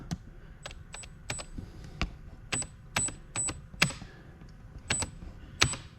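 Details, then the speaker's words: Traxxas TRX4 Blazer RC truck, newly fitted 1080 ESC, powered up on the bench, motor visibly moving on its mount: sharp irregular clacks and snaps under power; spur gear chewed with flat teeth, causing the growling. "you see that thing moving on the mount we got some serious pinion to pinion to Spur issues going on there so I'm going to open that up we'll have a look"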